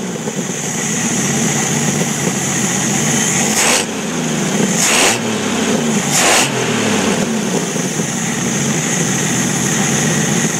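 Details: Jeep YJ with 4.2 L inline-six misfiring: uneven running with three sharp rough bursts a second or so apart over the drone; cause unclear.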